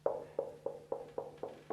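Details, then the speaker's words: Schweizer 300CBi helicopter preflight: gentle tap test on the fuel tank after straining fuel, the hollow ring dulling and deepening where the fuel level sits. "so you can hear as the sound changes indicating that our fuel line is somewhere around in here"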